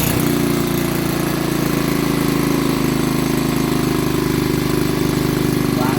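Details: Old BSA 50cc single-cylinder engine, first start in years after sitting under a bench: steady buzzing run with fairly even pitch; it fires and keeps running fine.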